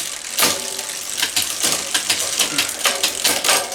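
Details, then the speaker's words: Bicycle front derailleur just adjusted and checked, lever at lowest then shifting to the second chainring: light, even chain ticking in rhythm with the pedal strokes, no scraping against the cage. Normal drivetrain running. "Donc, le levier au plus bas, ça passe, on n'a pas de bruit. On va changer, on va passer au deuxième plateau. Nickel chrome."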